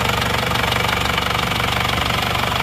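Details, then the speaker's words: Isuzu Panther diesel after repair, warm at 79 °C: even, steady idle clatter with regular pulses, no misses or lopes; oil filler check shows no smoke, engine running evenly and normal. "mesin rata. Nggak ada asap, normal."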